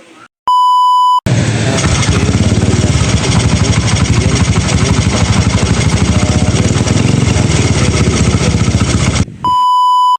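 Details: Honda XRM 125 at idle, recently fitted with a new bore kit (bore, piston, rings): steady, rapid knocking riding on the firing; teardown found damaged connecting rod and side crank bearing, plus a damaged camshaft assembly.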